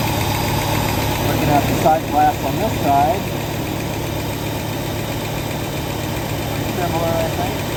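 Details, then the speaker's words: 1967 Lincoln with a newly installed carburetor whose inlet port was moved to the driver's side: a steady, even idle with a smooth low hum and no misses, ticks or hunting. It runs cleanly and pretty smooth. "very pleased it's uh pretty smooth"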